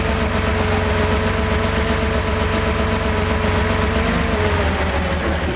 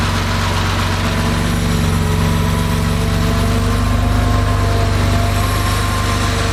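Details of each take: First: Freshly rebuilt Porsche 2.7 L engine with CIS fuel injection: uneven, lumpy idle with stumbling beat and soft exhaust pops, partial misfire; cylinder 2 located by cracking fuel distributor lines, leak-down good at about six percent, traced to a restricted fuel distributor port. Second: Rebuilt Porsche 2.7 L CIS-injected engine, hot start after sitting about 20 minutes: fired without throttle after a couple of cranks, warm idle with a steady, deep, even beat, no stumbling or hunting; healthy.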